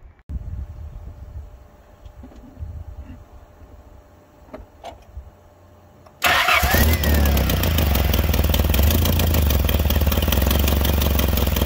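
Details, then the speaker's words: Nissan Silvia FJ20ET started for the first time in about a year and a half, with fuel pressure a little high; it idles loud with a steady tapping of about four beats per second from the rear; source undetermined. "oh yeah you can hear it back there god that's horrible that's the main reason why i haven't driven this car"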